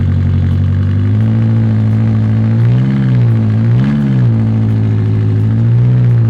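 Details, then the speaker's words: 2018 BMW M6 that sat a while with a dead battery, started after cranking: strong, even low rumble with a couple of smooth throttle blips, no knocks or misses; engine runs healthy. "sounds like a beast"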